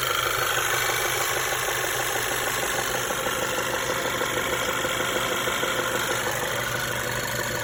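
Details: Knock from a VW 1.8 TSI (CDAB) engine at idle: regular tapping about three per second inside the engine, cause unclear; cam phaser vanes already replaced and timing chain reported fine.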